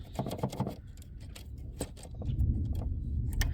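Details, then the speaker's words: 1999 Dodge Grand Caravan SE, about 260k miles, front-end-collision salvage van at idle: uneven light clicking, three or four a second, over low engine rumble sounds like valvetrain but is the cruise control module near new throttle body sensors ticking. "I bet you when I take this off, it doesn't make noise anymore. Cruise module. That's funny. That fooled me for a second there."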